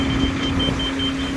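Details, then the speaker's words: Excavator digging a watermain trench: a rapid high beep, about four or five a second, cuts through engine rumble as the grade indicator warns it is not level. "It's beeping, that means it's not level."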